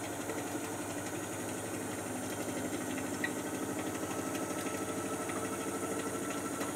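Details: Miele Softtronic W487WPS 1800rpm washing machine, owned nearly 3 years, on a wash cycle: steady motor hum with a soft, even churning pulse about three times a second, no knocks or scraping; running normally.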